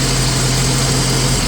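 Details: 1989 Jeep Cherokee XJ Renix with intermittent fuel pump cut-out and stalling while driving; smooth steady low idle hum, no stumble or dropout; tapping on relay failed to reproduce the fault, engine idling normally.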